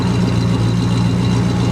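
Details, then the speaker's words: 1973 Dodge camper special V8, revived after sitting 25 years, freshly started: deep, steady, even idle with no misses, knocks or ticks, a little from the tailpipe. Very nice running engine, normal idle. "That is a very nice running engine. I'm very impressed."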